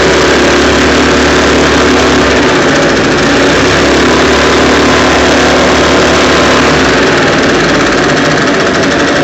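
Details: Echo PB580-T backpack blower, two-stroke, after throttle swap from another Echo model, different carburetor and new spark plug, air filter off, just started: steady buzz settling into even warm-up idle, no misfires or surging; healthy.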